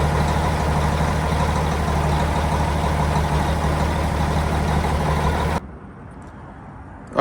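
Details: Cummins diesel truck after new starter install: steady low churn for about five seconds, then cuts off abruptly; cranking but no sign of catching, no start.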